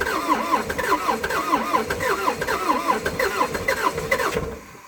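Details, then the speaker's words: Abandoned old CAT excavator diesel, not run in months/years, cold day: long cranking on two new batteries after cleaning connections and relinking batteries; steady rising-falling starter whirr about four strokes a second, never catches; hard start. "i've been down here a few times now trying to fire this thing up and it just didn't want to play bottle so i took my got two new batteries um they couldn't start it initially so the connections needed a thorough clean"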